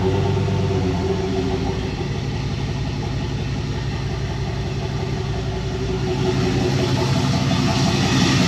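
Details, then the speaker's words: 1999 Silverado 1500 turbo 4.8L LS, 235k miles, 862 heads, BTR Stage 1 cam, first start on base speed-density tune: deep, steady V8 lope at idle, even pulses, no knocks or misses; normal idle. "This is just the base tune. It's the first speed density tune, so it still needs a little work, but it's actually very dialed for what it is."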